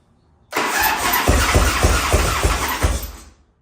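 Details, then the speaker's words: 1989 Harley-Davidson barn find, unused for 10 years, with a spare carburetor leaking badly and oil draining out: uneven cranking chuffs about three a second with a few weak catches, then dies; fires briefly but won't keep running. "All right, well, we've got it to fire there just a little bit, and I don't know if you can hear that, but that's also the oil drain out, so we got to do the spring thing again."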